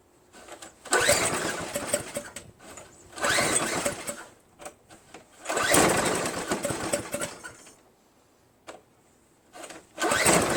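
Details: Craftsman 522 4-cycle single-stage snowblower left outside, water in gas tank, line and carburetor, loose ignition switch: repeated start attempts, each catching one or two seconds of ragged sputter before dying; water in the fuel.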